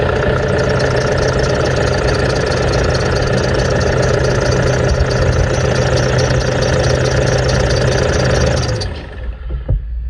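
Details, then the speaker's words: 2008 N70 Toyota Hilux idling: fast chirpy squeal from a squeaky belt pulley, then shut off; belt to be removed and each pulley spun to find which one is squeaky. "So as you can hear, the squeak is very squeaky. That would probably be a roadworthy problem."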